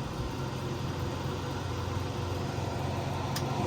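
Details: Buck 91 wood stove blower fan after replacing fan switches, in automatic thermal mode on medium: steady low whoosh and hum with no rattle or scrape, even speed; blower running smoothly.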